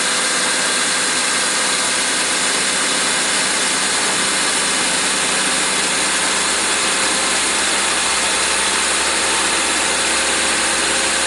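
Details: 2000 Honda Civic EX 1.6L D16Y8 after new plugs, cap and rotor, air cleaner not refitted: continuous hissy idle, no clear miss or stumble. Whether the stumble and rough running are fixed remains uncertain.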